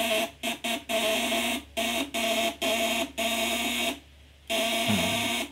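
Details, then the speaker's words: 8-ons 12V contact-breaker (platina) inverter with 20 µF capacitors, switched from 500 W to 1000 W setting: bursts of steady, harsh mid-pitched buzz starting and stopping cleanly, heavier sound at 1000 W; normal buzz under heavier load. "Beda suaranya ya. Kalau di 500 dia berat, di 1000 dia suaranya juga lebih berat ya."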